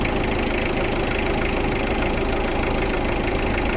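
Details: Mitsubishi Adventure after replacing and cleaning the alternator carbon brush to cure hard starting: a steady, even idle with a smooth low hum and no knocks or misses. Charging now rises quickly to about 14 V; normal idle.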